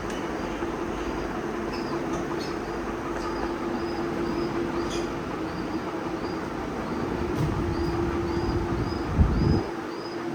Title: Humming sound ceiling fan